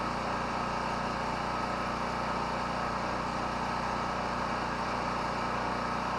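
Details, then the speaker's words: Portable petrol generator, unused about a month, fuel mostly a year old, just started on one pull: steady, even drone with no surging, hunting or stumbling; running smoothly. "now well she starts right up in a second and pull that kind of tells me the gas is good"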